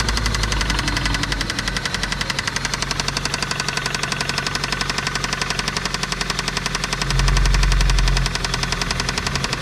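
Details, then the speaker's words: 2004 Toyota Celica GT with 185,000 on it, run extremely low on oil, idling just after refilling: a steady sharp knock about four a second, more rod knock than valvetrain tapping. Rod knock from oil starvation, engine likely ruined. "not good that's pretty much exactly how I expected it to sound maybe a little more of a rod knock and a little less valve train noise but she's definitely a tapping and somewhere right in this area"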